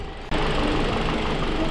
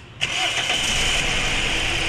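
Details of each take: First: Toyota Altis that had heavy engine vibration and misfire, after new ignition coils, fuel filter replacement and a coolant flush: the engine settles into a quiet, smooth idle with a soft even hum and no knocks or misses; normal idle. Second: Toyota Altis with new ignition coils, not overheated, fuel filter being replaced; cranks, catches, then lumpy idle with heavy whole-body vibration; number one spark plug wet, dead cylinder from cracked exhaust valve.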